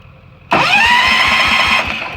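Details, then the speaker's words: Tractor in cold, snowy northeast Alberta: starter cranks steadily with compression thumps about four a second but won't catch even on starting fluid; owner suspects spark issue, swaps in a new NGK spark plug gapped 0.025, still no start. "How is this possible? It's literally called starting fluid. It's almost like it's a spark issue."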